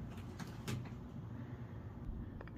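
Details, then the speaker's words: Squeaky door hinge after WD-40 lubrication: door swings with only faint soft bumps, no squeak or creak; hinge now quiet. "okay so I already opened the door and it didn't squeak but I'm just going to continue to kind of open and close the door here a couple times or a few few times just hopefully I'm moving around the WD40 in the hinges and you can see the squeak is completely gone"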